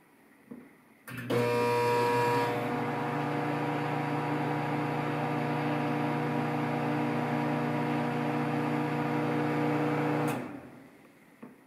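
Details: Samsung 1.9 cu ft microwave making an odd start-up vibration: steady low hum and buzzing tones settling into an even drone; cause not pinned down.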